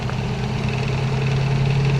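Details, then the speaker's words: 1986 Nissan 300ZX, flooded in a Florida hurricane and brought back after its stolen computer was replaced, at idle after a drive: smooth, even low hum with no knocks, misses or surging; purring like a kitten, running like a dream. "she is purring like a kitten man I running like an absolute dream brakes feel great"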